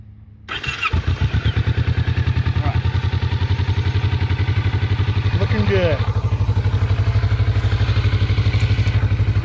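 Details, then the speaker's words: Kawasaki Vulcan S650 after the worn starter switch was taken apart and fixed; short crank, then engine catches and settles into a steady even idle: normal engine start. "all right well looks like we're back in business everything's working fine switches are working again"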